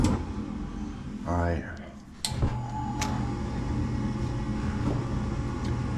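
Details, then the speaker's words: Locked-out furnace with an ECM blower on a no-heat call: a click, then the burners catch with a thin, uneven whoosh because flame isn't carrying across all burners; the tech then pulls the spark igniter and flame sensor to clean. "sounds like the Flame's not going all the way across"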